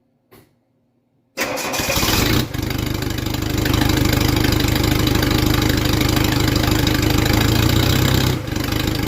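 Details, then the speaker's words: '68 Mercedes-Benz swapped with an OM616 diesel, straight-piped with no muffler: cranks, catches and settles into a loud raspy rapid diesel chatter with coarse low rumble, like an angry Briggs and Stratton; loud open exhaust. "okay I think it's safe to say that's not the answer basically just sounds like an angry Briggs and Stratton Muffler it is"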